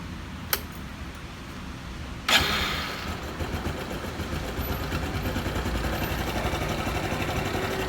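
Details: Honda Super Cub JA44 at 57,291 km, engine noise countermeasure: after a couple of sharp clicks the single starts and settles into a fast, light, sewing-machine rattle over the idle; cause suspected, not confirmed.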